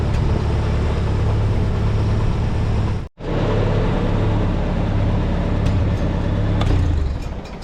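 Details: 1952 International Harvester Farmall Super C tractor engine after repair, settling into a steady, even low chug with one brief cut; the miss cleared after distributor work (bent rotor prong, owner unsure whether a stuck mechanical advance was to blame).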